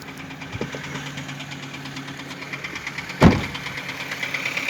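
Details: 2010 Ford Focus at idle: low humming idle with light ticking and one sharp clunk partway through; abnormal engine idle noise, cause unclear.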